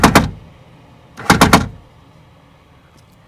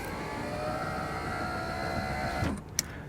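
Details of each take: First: 2000 Toyota Camry rear door: sharp metallic machine-gun bangs when raising the window as the power window motor skips on the regulator gear teeth, before regulator replacement. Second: 2000 Toyota Camry CE rear door power window after regulator replacement fixed a rapid ratcheting bang when raising. Smooth even motor whir through full travel with a soft stop, no binding or clunks; works properly.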